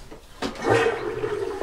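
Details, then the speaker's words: Old toilet cistern after the part 1 ball float valve was replaced with a part 2 high-pressure float valve. A strong, full flush is followed by a quiet, steady refill hiss, noticeably quieter than before. "yep got ourselves a nice full flush"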